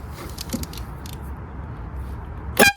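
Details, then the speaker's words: Nissan Silvia S15 Spec R, removed air horn wired up for a test: a few faint relay clicks, then one short, very loud, piercing horn blast, the horn working. "now I got really scared one one more one more okay stop that's too loud"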